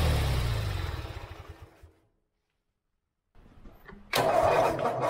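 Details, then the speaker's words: Forgotten lawn mower, seized engine freed with vinegar, fuel added to the carburetor bowl: engine winds down and stops, then fires and catches straight into a steady healthy run; finally running, milky oil found afterwards. "that was super exciting at one point we thought this mower was done and now it runs"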